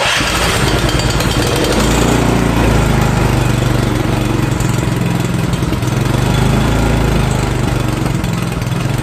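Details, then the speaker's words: Poulan Pro snowblower with 9.5 hp Briggs & Stratton engine after carburetor cleaning, electric start: settles into a steady, even run with no surging or missing; running healthy. "There it is, up and running. Alright, it's up and running really nice."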